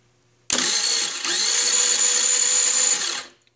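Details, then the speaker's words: Chinese 49cc scooter with no spark, after a new CDI box was installed and with the plug grounded: a high, fast starter whir for about three seconds without firing; normal starter cranking. "I'm going to go ahead and crank it over and there should be spark if the CDI box was the issue"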